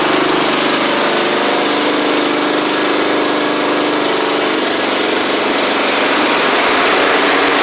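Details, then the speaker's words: Troy-Bilt Pony mower with swapped-in Briggs & Stratton flathead (replacing Powermore; new Briggs carburetor, 12.5hp air filter), final test with hood back on and fresh oil: steady, even single-cylinder drone, no misses, surges or knocks; normal running. "w oh that's good that's really good actually"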